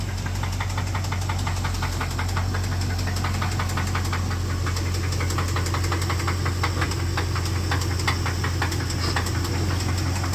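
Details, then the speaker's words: 2005 Dodge Ram 5.7 Hemi at idle before the engine is pulled: steady rhythmic knocking, about three beats a second, over the idle; engine knock ("pecking"), cause not pinned down. "As y'all can hear that thing pecking."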